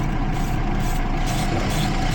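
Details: 2012 Jeep Liberty 3.5L V6, misfiring on cylinders 1 and 5 after a coolant leak soaked the engine bay: deep, rough idle with an uneven pulse; spark arcing at a coil boot in the wasted-spark ignition causes the misfire.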